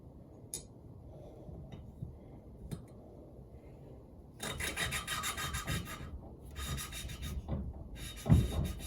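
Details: Yamaha Virago 535 valve lapping, coarse paste re-spread onto the seat and the valve spun with a suction stick: bursts of dry, gritty rasping. The paste is cutting evenly and the seat is starting to show a cut.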